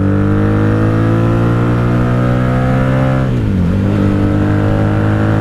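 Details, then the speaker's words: 1997 Honda Magna VF750C wreck rebuild with Vance and Hines pipes, riding on highway at night: steady drone briefly sags and stumbles when revved; fuel present but dirt gumming the carburetors, owner may run fuel cleaner. "I can tell I have fuel. There's just dirt that's gummed up in there. It's not letting it all through when it should."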